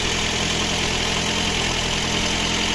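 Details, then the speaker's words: Lada Granta, 200,000 km original mileage, after full cylinder head rebuild (earlier misfire on cylinder 3): first start before antifreeze added, smooth even purring idle with no misfire; slight piston knock still audible. "З полпіночка нічого не троїть. О, як муркоче моторчик. Як муркоче."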